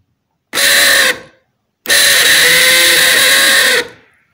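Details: Cordless drill that drains its battery and heats up, motor tested directly with leads: two clean bursts of steady high motor whine, even speed, no grinding; motor fine, short is in the control module, needing full replacement.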